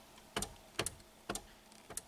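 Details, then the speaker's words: VW Golf 5 rear tailgate wiper: four sharp dry clicks about half a second apart with no motor hum after them; it clicks but the motor doesn't run. "а задній склочисник не щолки спрацьовує але але не"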